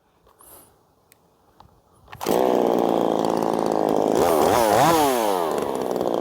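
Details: Ported Poulan Pro 4620 chainsaw, warm restart after retuning the carb's low and high screws: catches at once and revs cleanly up and down, firing evenly; normal warm restart.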